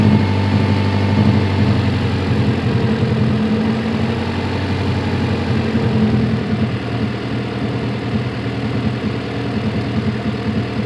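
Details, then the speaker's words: H22-swapped Honda Civic with solid engine mount, at operating temperature after driving: idle stays high and won't drop; intake manifold gasket came loose again, a vacuum leak. "I just replaced this intake gasket and it's already came loose but I got the solution for this time so a lock type cost me thirteen dollars as you can see the aisle is all high again"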